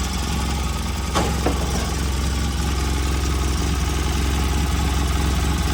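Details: Polaris RZR 800 after sitting for years, freshly rebuilt engine on first start: a couple of light clicks early, then a steady, even idle with a deep low thrum; engine runs healthy.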